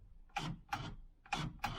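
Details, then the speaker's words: 1991 RR 2-door (RHD conversion project) fuel flap actuator working after battery reconnected: four short, crisp whirring clicks in two pairs, each under half a second; normal actuator operation. "Yeah, works."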